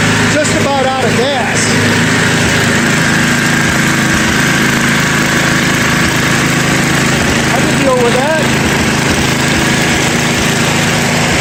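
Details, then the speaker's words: Warm 10 hp snowblower engine, started on ether with choke, idles with an irregular, lumpy bobble at slight throttle, no bad smoke; owner suspects low compression or worn rings. "the motor runs fair you know I had a little bobble in it little ol you know she's probably got a little low compression rings might be warm but she didn't smoke bad"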